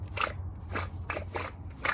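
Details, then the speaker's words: 2005 Chevrolet Equinox 3.4 removed front wheel hub bearing turned by hand: gritty crunching bursts, a worn rough bearing causing a driving noise that got worse. "And here's the bearing. Oh, you can hear it, how rough it sounds."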